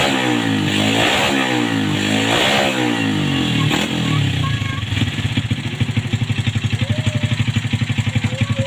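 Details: 2007 Yamaha Vega R motorcycle after carburetor cleaning to cure sputtering and coughing: two clean rev rises fall back to an even, steady idle of about four beats a second, with no popping or stumble; engine runs healthy.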